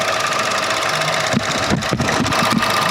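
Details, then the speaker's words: Chevrolet Aveo 1.4 sedan at steady idle: light, quick irregular ticking, a small rattle apart from the engine's note, from a noisy purge solenoid valve, a common fault on this car; no other abnormal engine sounds. "솔레드 밸브가 소리가 좀납니다 이거 이차에서 흔히 볼 수 있는 증상인데"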